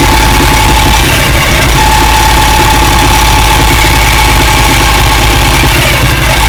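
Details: 2007 Ducati 1098 track bike in 1st or 2nd gear downhill, clutch released slowly: thin steady high whine over the engine rumble, worse on clutch release, almost gone with clutch pulled; dealer replaced shift arm detent, clutch looked OK; cause unconfirmed.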